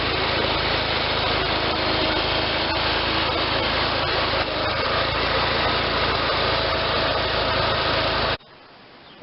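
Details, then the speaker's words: Case Ingersoll 448 hydriv garden tractor with Onan twin-cylinder engine, running a few minutes after the rebuilt N46 deck was installed: steady, even drone with no clatter, squeal or belt slap, belts tracking well; normal. "just ran that for a few minutes there everything sounds good the belts are tracking good"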